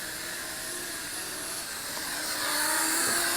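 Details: Holy Stone HS340 micro beginner drone in normal flight: a smooth, even high-pitched whir from the small motors that rises slightly as both sticks push it left, right and forward; steady and healthy.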